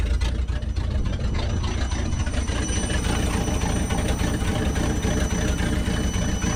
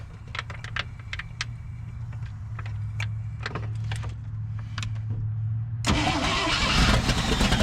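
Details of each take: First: 1963 International Loadstar truck being revived: thin high whistle rides steadily over the rumbling idle without changing pitch while warming up; owner guesses a squealing belt accessory such as the generator. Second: 1963 International Loadstar truck's old V8, first start after setting timing, catches and settles into a steady low idle with no miss or knock before a louder rush drowns it out. Owner suspects earlier non-running was timing or plug wires.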